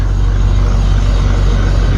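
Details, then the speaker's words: BMW E39 540i on jack stands, rear wheels off the ground, drivetrain turning: steady deep grinding rumble heard at the rear; owner first suspected a wheel bearing, concludes the differential is bad. Rear differential grinding. "that grinding around in there without a wheel spinning obviously yeah hate to say it well should we hope to be a little burying but my fifth is bad"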